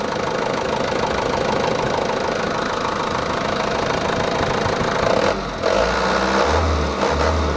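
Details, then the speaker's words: Stock Mitsubishi Canter 110 PS diesel after setting valves and nozzles and raising governor rpm, no AC idle-up vacuum: steady even clatter at a slightly high idle, then clean blips. Runs smooth, not harsh. "kalau ini enggak ada vakum untuk Idul up di AC jadi ini rpm-nya agak besar"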